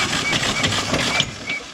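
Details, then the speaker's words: VW-engined dune buggy run without oil: harsh, labored cranking with gritty metallic scraping and uneven drag, never catches; seized, oil-starved motor with internal damage, suspected broken crank and loose pistons. "Motor's blown. You hear that? Yeah, that's probably pistons whopping around in there."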